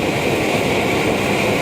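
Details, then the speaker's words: BRS-8 multi-fuel stove on an isobutane canister turned up fully, after burning off leftover liquid fuel, during a 2-cup boil test: constant even roaring hiss with no sputtering or pulsing; normal steady burn. "It's burning pretty much fully on the butane now."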